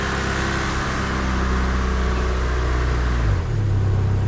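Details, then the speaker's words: Mazda MX3 after repair of a whine first blamed on the torque converter, later possibly on the belts or motor mounts: a steady low engine hum dips slightly on shifting into drive, with no whine, sounding quiet and healthy. "Oh, no more noise! High five right there!"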